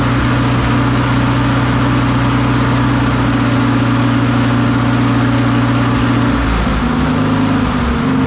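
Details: McCormick W4 tractor after building new ignition wires and fitting new spark plugs: steady, even engine drone at constant speed, then the note shifts as the throttle changes; runs smoothly without obvious misfires.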